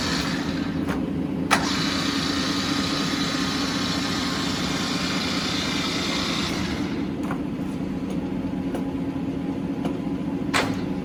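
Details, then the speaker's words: New 2009 Tru-Turn CW61190L 75" x 21' engine lathe, 30 kW 440 V main motor, spindle 3.15–315 RPM, very nice condition: motor starts with a brief rising whine, then steady even hum, no knocking or grinding; normal lathe running. "It's in very nice condition. I'm gonna turn the motor on. Let's hear it."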